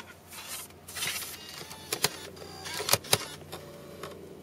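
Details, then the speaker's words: Mac Mini running Snow Leopard, slot-load drive with burned DVD (retail DVDs play): faint whirring that never reaches speed, sharp clicks and a brief rising hum, then the disc ejects; drive fails to spin up. "the disc is trying to spin up I don't know what that sound is and it rejects it just like that nothing happens"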